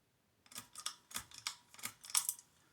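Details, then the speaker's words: 52" Hunter Low Profile ceiling fan on medium: dry, sharp crackles about three a second over a faint thin tone, from subpar dry bearings needing oil. "starting to hear that crackling sound let's that's the bearings"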